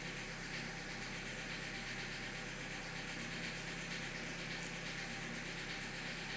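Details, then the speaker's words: Opel Corsa D 2007, 1.4 Z14XEP petrol engine with LPG equipment fitted, cold idle: uneven running with a loud irregular knocking/tick and misfires; ignition coil arcing to ground causes the misfire. "Я чую, як щось стукає. Стукає досить голосно. І є пропуски"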